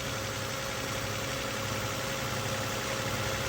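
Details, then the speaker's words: 2007 Toyota Solara 3.3 L interference engine, first start after a broken timing belt was replaced, run with no coolant: steady, even idle with no misfire, only a light valvetrain tick; it sounds healthy, so the valves were apparently not bent. "oh wow she's running I don't even feel a misfire oh my goodness how in the world I think we might have got lucky"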